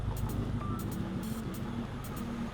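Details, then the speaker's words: 2002 Honda, hot petrol engine idling rough and vibrating (normal when cold) with an uneven, lumpy beat; cylinder 3 is misfiring, unplugging injector 3 changes nothing, and the cylinder head water jacket was found badly corroded. "Dan ini tuh mesinnya bergetar ya kita coba pakai simulasi air ya"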